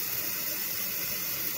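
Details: Toilet after flush valve and flapper repair: continuous even hiss of water rushing into the tank with no sputter or surging; fill valve refilling normally.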